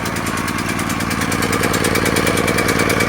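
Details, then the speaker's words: Firman 3650 generator just after a pull-cord start with choke at start, before warming up to higher RPM. A steady, even put-put beat from the small engine, holding speed without misses. Normal running. "So now it's running."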